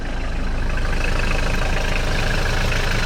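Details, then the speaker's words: Cold idle on a 1994 Mitsubishi Delica 4M40 diesel, automatic, high mileage, warming up: even diesel clatter at steady idle, no misfiring, no smoke, burning clean; normal healthy cold idle. "cold idols diesel is warming up no misfiring yeah it doesn't smoke engine is burning clean"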